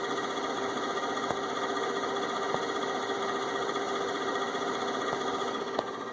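Steady whirring fan with a fixed whine and faint irregular ticks over a hissy background; the fan is running noisily, cause unclear.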